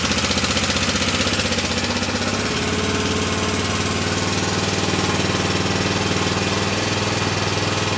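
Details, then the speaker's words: 2003 Honda Rincon 650 ATV, just jump-started, at idle: fast, uneven light tapping about four a second that grows louder; owner first suspected timing chain or valve adjustment, pointing to worn camshaft and slipping timing chain tensioner. "To me, when I first heard it, it sounded like a timing chain. So, it could be the timing chain. You can hear it kind of tap tap tap."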